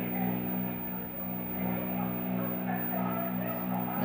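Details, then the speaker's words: 1950 Hoffman Easy Vision 14-inch vintage tube TV under partial repair, with horizontal and high voltage working: steady low hum with buzzy overtones over faint program sound; the audio output is present but very noisy. "a lot of noise in it but you can hear that there is audio coming in"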